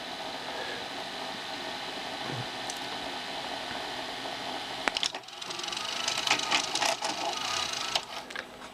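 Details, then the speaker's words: Panasonic NV366 top-loading 4-head VHS VCR (circa 1982) with a tape stuck: thin motor whirr and uneven rattling clicks, the flapping loading belt lacking force for the final engage of pinch roller and capstan; worn loading belt needs replacing. "So it's definitely that belt that's needing changing, which, you know, it was that belt that were at fault in the first place, why it won't load."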